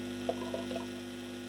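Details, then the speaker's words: Lenco portable record player at 45 rpm after fixing hardened-rubber drive wheel that was noisy against the metal wheel: low steady hum, no scraping or rumble; drive now much quieter than before. "That's pretty quiet. That is much quieter than it was."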